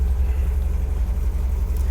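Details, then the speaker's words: 1977 MGB, 70,472 miles, engine 18V883AE-L7967, SU HIF4 carburetor, just started cold on choke with foot on the gas, good oil pressure: deep, steady low rumble at a slightly raised idle, smooth with no knocks or misses; normal cold warm-up. "A couple things you want to look for in this car when you start it is I've got my foot on the gas because we need to, the engine's cold, so we need to warm it up."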